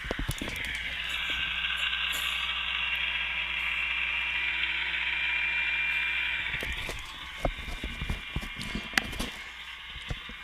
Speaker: Uh clearly the noise that you hear that uh that uh grinding grally crackling noise is cavitation. It's very characteristic.